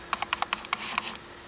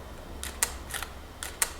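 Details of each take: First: Nikon D600 shooting video in AF-F face-detection mode, heard from inside the camera. Bursts of quick little whirring clicks that keep starting and stopping as the autofocus hunts and constantly readjusts. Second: Nikon D600 shutter in Q quiet mode: soft muffled double clicks a little over once a second, hushed but not silent; normal quiet-mode shutter sound.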